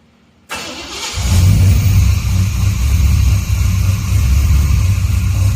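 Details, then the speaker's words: 1974 Chevy 350 V8 converted to TBI with Megasquirt, worn distributor due for replacement, after-start enrichment still needing tuning: starter barely turns before it catches quickly and settles into a strong, steady low rumble with no stumble. "need to play with the after start a little bit but notice how easy that started up oh"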